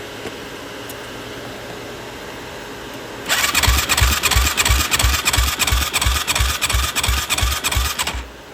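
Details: Yamaha YFZ450 with auto-decompression, cranking: an even chug at about three beats a second with weak, soft strokes. Compression is about 20 PSI, under 50 even with oil in the cylinder, with coolant bubbles and smoke; head gasket and rings suspected.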